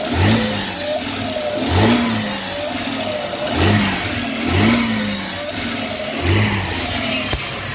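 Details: 1996 Audi A6 engine being revved: a very recent high hissing, whistling rasp that occurs only when accelerating or revving and comes and goes with the throttle; cause unidentified.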